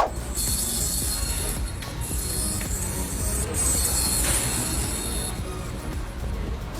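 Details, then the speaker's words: Thin, high-pitched squeal over road rumble when braking: the wear indicator tab of worn front brake pads scraping the disc. "te voy a dejar un clip para que tú sepas aprendas y escuches Cómo suena un avisador de balatas cuando las balatas o las pastillas ya Están desgastadas"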